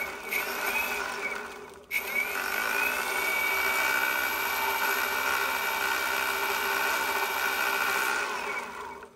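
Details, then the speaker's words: Evolve Bamboo GTX electric skateboard: whirring, fairly high spin with a faint fast roughness as the wheel runs down; knocking or vibration, slight play in this bearing versus the other side, noise increasing over rides; rough loose bearing. "definitely hear a knocking sound or some sort of vibration, and there's a little bit of play in this bearing here somehow, as opposed to this one on this side."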